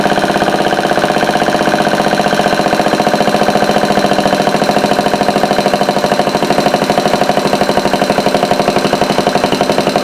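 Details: Homemade overhead-valve antique single-cylinder Briggs engine, running on a replacement shelf carb in place of the dirty original. Runs steadily, firing in a quick even beat with no misses or surging: normal running.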